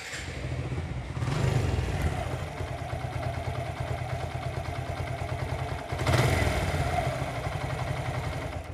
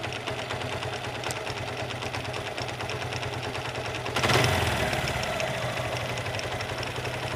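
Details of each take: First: Suzuki Gixxer motorcycle after repair: engine idles smoothly with two throttle blips, no knocking; before it made a clattering sound like a broken internal bearing. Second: Suzuki Gixxer motorcycle idling with a rapid metallic clatter, as if parts are touching; owner suspects a broken bearing or another internal part, to be checked by opening the engine.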